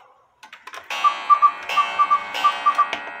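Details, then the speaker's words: 1908 GK cuckoo-quail clock with count wheel movement: clear whistled calls in quick groups of three, evenly repeated between ticks; normal call, though owner says the quail still isn't fully right and suspects the bellows is not wide enough. "and that's the way that one should sound"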